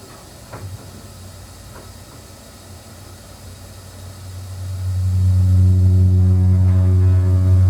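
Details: One-year-old Whirlpool gas water heater burner lights when hot water runs, building into a loud steady low vibrating hum; cause was the burner's unbalanced position, fixed with a new burner stabilised by a metal support.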